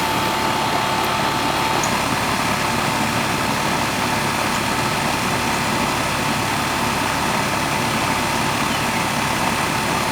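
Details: Residential AC outdoor unit, one of seven in a house: steady even mechanical hum, faint constant tone, no rattles or surging; normal running.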